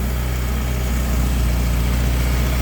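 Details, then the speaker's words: Ferrari Mondial V8 on start-up after a major service with new timing belts: an extreme, uneven, loose low-end clattering at idle because the crankshaft pulley damper mass had come loose. "beim Starten haben wir ein extremes klappern gehört"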